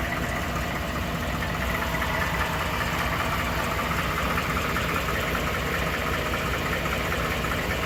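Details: 2012 Ford F150 5.0 Coyote at idle, now knocking all the time: light, fairly regular ticking knock two or three a second over the engine hum; owner suspects an oblong cylinder, dealer's throttle body cleaning and PCM reprogram didn't fix it.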